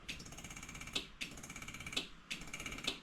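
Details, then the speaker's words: 1985 Bronco II with 2.9 swap and waterlogged A4LD transmission, no exhaust fitted: rapid repeated relay clicks about once a second, dash error like battery disconnected, no cranking; no-start on first attempt after valve body cleaning. "Like the battery isn't connected. You can hear a relay going click click click click. You know how this goes. Sometimes everything doesn't work the first time."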